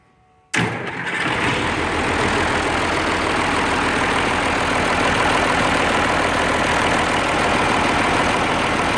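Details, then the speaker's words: Oliver 1550 diesel tractor after rebuilding the sticky number 6 injector (wet stacking, cool exhaust port), nozzle reset to 1750: quick catch after a short crank, then steady, even idle with no miss or knock. "that sounded much better"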